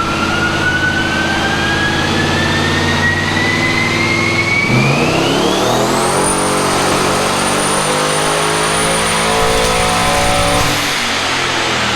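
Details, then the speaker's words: Turbo Pontiac LeMans on a dyno with new eBay twin turbos, BTR stage 2 cam and fixed boost controller: hard pull with climbing turbo whistle, then a ragged stutter as ignition breaks up at 5,500 rpm and power drops off; belt lost. "Every run's doing the same thing and we can hear it. You can hear it breaking up at 5,500 RPM and power is dropping off."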